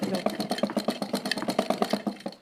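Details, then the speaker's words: Sewing machine after tightening a loose part and oiling the three holes: quick, even stitching clatter at about eight beats a second with no grinding or knocking. Formerly very noisy and vibrating, now much quieter; normal running. "Machine देखें कितनी इसकी आवाज़ कम हो गई है, कितनी इसकी आवाज़ कम हो गया, बहुत ज़्यादा इसकी आवाज़ थी।"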